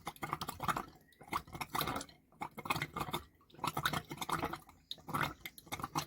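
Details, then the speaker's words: Caravan after winter storage, water tank filling: irregular wet gurgles and splutters in bursts with quiet gaps as trapped air burps out of the pipes; air in water pipes. "come on girl burp through there we go we're getting some starting to get all the air out now that's finally starting to push it through them pipes"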